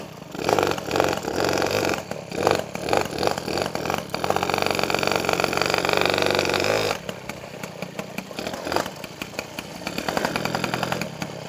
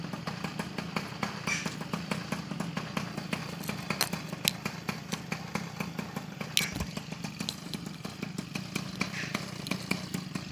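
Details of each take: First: Peugeot 103 SP moped with a newly wired DD engine: buzzy two-stroke revs rise and drop back in short bursts. The drive seems to catch at low revs instead of winding up first. The clutch engages too early. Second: Peugeot 103 SP moped, first start after wiring a DD engine: quick, even two-stroke popping at a steady fast idle, with wind in the background, left to warm up. It idles normally.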